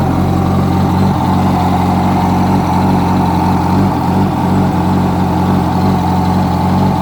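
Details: 2006 Yamaha R1 at steady fast idle, with a dull rhythmic knock tied to engine speed; a new updated cam chain tensioner made no difference, and the noise was found to be the #4 rod bearing.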